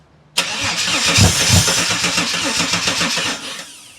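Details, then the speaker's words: Holden VS Commodore ute no-start, sprayed with Aerostart starting fluid into open throttle body, air intake removed, no exhaust fitted, plugs known to spark: engine catches abruptly, runs rough and loud with uneven pulses for three seconds, dies as spray burns off; cause unconfirmed. "I'll just open the throttle body I've taken the air in take out I'm just cleaning it spray bit in here oh jeez I jammed it in and then I got me contacts here so it should start"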